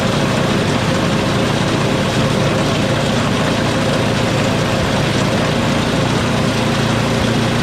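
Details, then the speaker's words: Small engine after quick carb clean and primer hose fix, problem was actually low fuel: loud even drone holding steady without stumbling or surging; running normally. "But runs good now."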